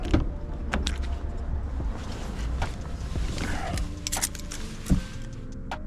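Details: Dodge Hellcat V8 cold start after deleting the active exhaust valves with a dummy plug on the valve module, no check engine light: it catches and settles into a deep, even rumble with a few sharp blips; clean and healthy.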